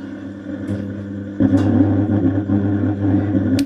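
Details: Home theater subwoofer at switch-on: loud steady low hum with buzzy edge from the bass; faulty 2050 bridge amplifier IC (ground-input side) is the cause, to be replaced.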